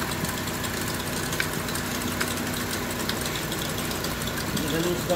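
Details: Honda with check-engine light, petrol idle: uneven, irregular knocking beat about four a second as a cylinder drops out; misfire traced to a loose ignition coil connector socket, idle smooth at 750 rpm after fixing.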